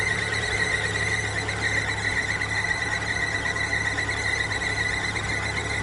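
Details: Constant high squeal holding one pitch over a low engine hum, coming from the timing belt area: timing belt squeal.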